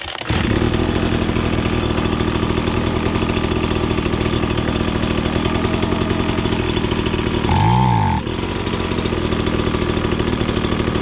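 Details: Ryobi BP42 two-stroke backpack leaf blower that starts and runs but won't rev to full speed, air filter off: buzzy engine holds low revs, surges briefly and drops back; lean high-speed mixture, high-side screw needs opening counterclockwise.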